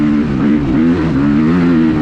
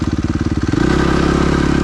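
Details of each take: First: Suzuki RMZ 250 with rebuilt Rekluse auto clutch, fixing a stalling problem: rear brake locked at high speed in about 4th gear, rear wheel sliding. Engine note sags and wavers but keeps pulling without stalling; clutch disengaging properly. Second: Suzuki RMZ 250 with rebuilt Rekluse auto clutch (red springs, high stall speed) to fix stalling, pulling away without using clutch lever: rapid choppy clatter settling into a steadier run. Clutch engagement rattle.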